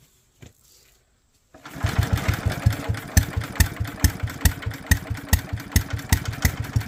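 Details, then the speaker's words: Small single-cylinder Locke mower engine with no leaks and a dry bowl, spark confirmed: it catches after a brief crank and settles into a steady, even putter around two beats a second; normal running. "okay check for spark we still have it and try to crank it again sounds promising"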